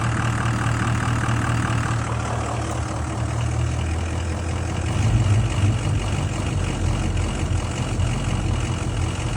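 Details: 6.0 diesel at idle after two oil changes with RevX: deep idle with a loping, irregular beat and uneven pulses. The rough idle has improved but is still present.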